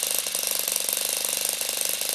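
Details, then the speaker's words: Saito FA-40 four-stroke glow-plug model engine running: a fast, even, high-pitched rattling bark at steady speed with no misses; a normal exhaust note from hot gas not fully expanded in the power stroke. "is an audible sound coming out of the exhaust manifold caused by the hot gas which is not completely expanded during the power stroke. A fraction of the energy is lost that way."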